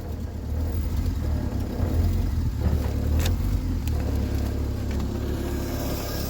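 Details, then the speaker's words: Triumph Spitfire just started cold for first time in 25 years, on choke, after timing correction, carburetor rebuild and new electric fuel pump: low, steady burble with even, slightly lumpy beat, no knocks or misses, smoky, no starting fluid used. "Took a little bit of love, but it started right up. Nice and smoky. No starting fluid, nothing."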